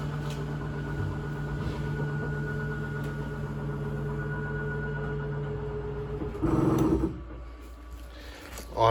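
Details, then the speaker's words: RV slide-out running via the slide-out switch: steady electric motor hum at even pitch for about six seconds, then a clean cutoff; normal slide-out operation. "you'll notice the bottom of the slide out comes in first that's normal that's what's supposed to happen when it gets all the way in it'll lift up a little more and you'll hear a clicking sound"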